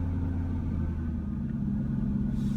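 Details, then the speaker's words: Ford Mustang that was hard starting, running after starter fluid ruled out inertia switch and fuel rail pressure sensor: low rumbling idle with a slight wavering hum, revs falling when gas is added; very weak dying fuel pump suspected. "So this seems to have the car running now, but the fuel pump is very, very weak, and it's just not going to last long."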